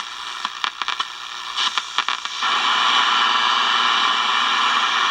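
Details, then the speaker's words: Small portable radio, previously dead from a broken main negative battery wire at the on-off switch pin, now resoldered and reassembled: crackles then steady even hiss with no voice or music, powered but receiving no station. "Alright, well there it is back together and operating for best that it is. Still not picking up a station there."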